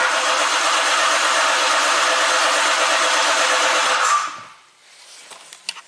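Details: 2017 Ford Explorer V6, intermittent bank 1 (cylinders 1–3) misfire, now crank no-start; steady even cranking about three turns a second, never catches; starter sound seemed off, relative compression test next. Cause suspected, not confirmed.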